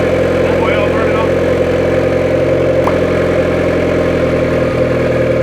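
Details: 1994 Honda Civic EX, newly rebuilt engine after first start-up: settles into a smooth even idle with steady low hum, no knocks or misses; normal idle.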